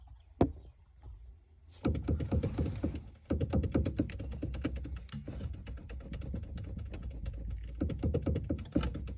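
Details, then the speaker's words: Caddy steering column knock heard in quiet cabin: bursts of sharp hollow clicks that stop when the shaft is pressed with one finger and return when released, indicating play in the worn steering column shaft. "одним пальцем здесь нажать на вал и ничего не стучит отпускаешь стучит"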